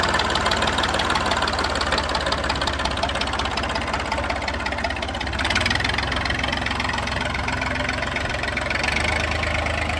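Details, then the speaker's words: Massey 2500 forklift tractor diesel just after first start, lift pump produced no fuel but it started while cranking: steady even idle clatter, evenly spaced knocks, no misses; running healthy. "Cracked it, and it just exploded into life."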